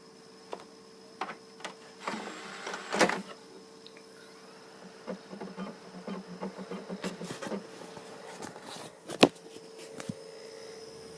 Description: When I play a game on my Xbox one with a disc it makes this strange noise for about 20 mins comment if you know how to fix this thank you :)